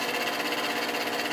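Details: Bathroom fan-heater blower motor, run with a wire bridging the blown fuse, heater coils glowing: steady high-pitched whirring hum with a fine buzz; now spinning freely, owner suspects dirt and dust had stopped it.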